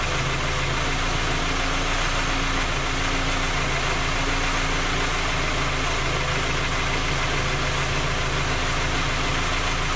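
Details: Skoda Octavia A5 facelift 1.6 MPI, engine knocking when cold despite three engine repairs that did not find the fault: steady idle with light, rapid tapping that keeps pace with the engine; source unclear.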